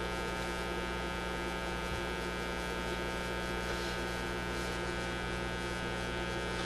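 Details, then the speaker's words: Motorola MK-56R AA5 tube radio, after replacing a bad tube, running on about 100 volts. Steady low mains hum with buzzy overtones, caused by a failed filter capacitor; capacitors to be replaced. "now that hum you're hearing is coming because this capacitor is shot we got we got to put in some more capacitors easy easy job"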